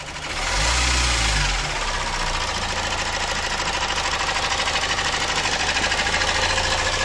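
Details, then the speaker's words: Opel Insignia 1.6 diesel 136 hp at about 154,000 km, idling with rapid steady tak-tak tapping clatter about three per second, heard about a metre from the car: worn timing chain, later fixed by replacing the timing chain parts and oil pump. "ilk geldiğimizde aracımız neyi vardı sesi duyduğunuz ses tak tak tak tak vuruyordu orta kurma dişisi ve yağ pompasını değiştirdik"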